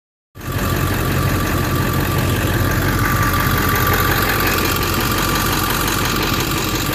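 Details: Ford 7.3 Powerstroke diesel at idle: a loud idle with a loose knock riding on the firing beat, not quite steady; cause not yet pinned down.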